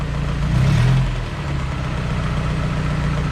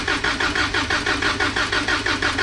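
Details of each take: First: Light steady ticking at idle that speeds up with two short blips, following rpm, on a car running rich with fuel in the exhaust before a compression test; owner suspects the lifters, unconfirmed. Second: Toyota 22R engine in a pickup during a compression test: even, steady cranking at about five strong pulses a second with no weak beats, the gauge reading about 150 psi; healthy compression.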